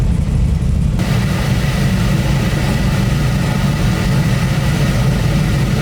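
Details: Nissan 240 with LS-swapped 350 cubic inch GM V8, first start on a base wizard-generated tune with no idle adjustment: steady, even low rumble with no misses, knocks or ticks, settling straight into a smooth normal idle.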